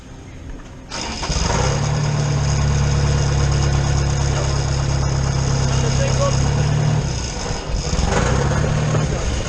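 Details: Schwing BPA500 concrete pump diesel: fuel solenoid clicks with key (no click means a pressed button or wet switch contacts, engine won't start), short crank, catches at once and settles to an even, steady idle; normal start.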